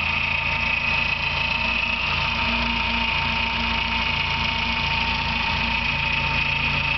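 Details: Engine at idle with a thin, high bird-like chirp, ongoing two years and getting louder; not fixed by new alternator bearing or timing belt tensioner, continues with alternator belt off; owner suspects water pump, cause unknown.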